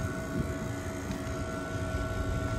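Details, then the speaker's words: Vehicle A/C system with valve core depressed, vacuum pump opened and drawing a vacuum before a high-pressure nitrogen decay leak test: even low rumble with steady mid-pitched hum, no knocking or labouring; pump running normally. "there we go the vacuum pump is open we are now drawing a vacuum"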